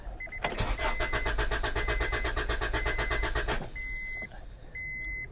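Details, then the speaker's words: Used Honda car at a salvage auction: the starter cranks steadily at about four turns a second for three seconds but the engine never catches, and no fuel pump is heard; door chime beeps afterward. Cause suspected, not confirmed. "well she's not even trying its cranking but it's not even trying at all"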